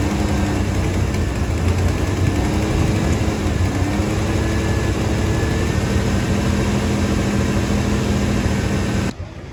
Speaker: right, so it runs. Um we got oil pressure back.